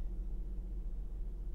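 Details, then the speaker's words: 2016 Ford Mustang V6, body panel damage, flat rear tire, oil change warning, at Copart: low, smooth, steady idle rumble with no knocks, ticks or whine; engine sounds healthy. "oil change required that engine sounds so good though oh my gosh that engine is nice of course it is it's a 2016"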